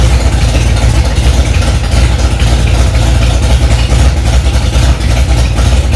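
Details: Freshly rebuilt Ford 289 small-block V8 in a 1965 Mustang "Hack Job", first start after months of work, cold engine: strong even low rumble, steady fast-idle beat, no misses, knocks or ticks; normal fast idle.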